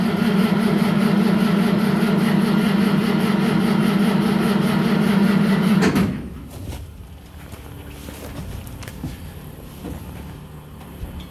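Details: 1963 Mack gasoline truck, first start after 4 years sitting (suspected bad gas), choke cable unhooked so rag stuffed in air intake: big engine runs steady and even at fast idle about six seconds, then shuts down.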